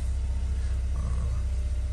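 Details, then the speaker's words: 2016 Chevy Cruze, first start after fix for code P1101 (MAF-related), battery reconnected, codes not erased: steady, even low rumble at idle with no misses, ticks or hunting; smooth, healthy. "sounds good so far so good so maybe another flawless job under our belt"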